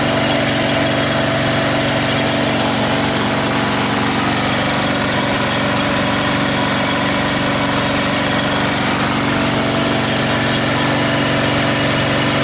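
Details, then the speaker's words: Snapper 38-inch scrap riding mower running after choking with key on; single-cylinder steady, even beat, no misses or knocks; carburetor fuel leak blamed on broken-off fuel shutoff, to be replaced. Normal running. "yep should turn the key on doesn't it try choking it hey he's running all right"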